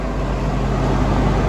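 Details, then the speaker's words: Budget Toyota MR2 after fixing its overheating, idling about 10 minutes with temperature holding steady and front fans on: steady, even low fan hum over the engine, no grinding or wobble. Normal cooling fan operation. Smoke from the exhaust persists. "we found the fix to our heating issues I mean having it running for about 10 minutes now and it stayed at the same temp I've got the I've got the front fans on here as you can hear"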